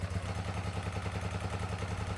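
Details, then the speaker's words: 2006 Hyosung GT650S V-twin after two years stored: lumpy, uneven idle with hollow single-beat pulse, running on one cylinder, won't exceed 5,000 rpm, front exhaust header stays cold; blocked carburettor pilot jet. "यह एक we-twin motorcycle है, लेकिन अभी यह केवल 1 cylinder पर चल रहा है"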